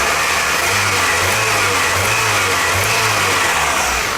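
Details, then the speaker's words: 1998 Toyota Camry after swapping spark plugs and wires to trace the cylinder 2 and 3 misfire. Smooth, even revving hum with no stumble or skipped beats; the misfire is gone and the engine runs normally. "Like, that misfire's gone. I'll switch the wires back."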